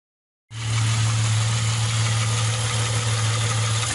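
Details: Opel Omega B engine: steady low idle drone with a faint, quick tapping of about four per second riding on it; engine knock.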